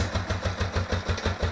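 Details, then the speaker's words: 36,000-mile motorcycle, bobber project, idling with loping thumps about eleven a second and wavering strength, close to stalling; owner suspects a lifter or valve tick; rough idle. "fire it up 36,000 miles so it's been around but let's fire it up just to show it doesn't idle the best and"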